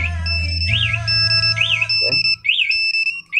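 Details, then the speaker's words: Old Yamaha NMAX with installed smartkey anti-theft alarm: forced start attempt with remote far away, engine won't start and alarm sounds loud repeating high-pitched warbling chirps about once a second. "tetapi ketika ada bobolan kalau remotenya jauh motor tabrakan tidak bisa dihidupin dan justru alarm akan bunyi keras seperti itu ya"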